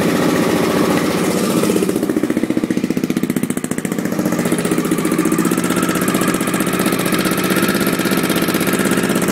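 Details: 1986 Honda XL600 single-cylinder at steady idle with an extra sharp puff or tick on each beat after new exhaust gaskets; owner suspects an exhaust leak, source unconfirmed.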